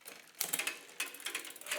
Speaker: Now we're making a racket. Yeah. Now our derailleur is going to in our spokes, and if I go even further, you can see now that that chain is going to skip off to the inside.